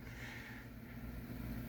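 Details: 2011 Honda Pilot petrol engine idling: steady low rumble with a faint deep knock underneath from a bad rod bearing.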